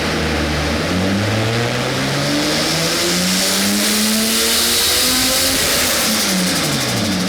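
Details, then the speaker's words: RB20-swapped AU Falcon turbo on E85, on the dyno with VCT on during power pulls: engine pulls hard, but around 5,000 rpm revs stumble and fall back as the crank trigger signal drops out and loses sync; new crank angle sensor fitted. "all right everything was going suspiciously too well and we're ready to do power pulls and as you got up to 5K RPM the Kaz trigger signal is dropping out we're losing sync"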